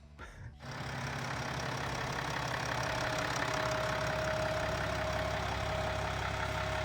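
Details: BMW X5 M50d diesel after engine rebuild: catches and settles into a steady, even idle with light clatter, no knocking or misfire; normal.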